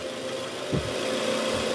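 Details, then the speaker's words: 2010 Toyota Camry 2AZ-FE at cold start idle, heard from the side: rough, gravelly rattle from the oil pan area, fading as the engine warms; worn, loose balancer shaft, confirmed by stethoscope and on removal. "Oke jadi bunyinya bunyi kasar di area bawah ya Bunyi gerak gitu nah ini mesinnya udah mulai panas jadi bunyinya sedikit berkurang"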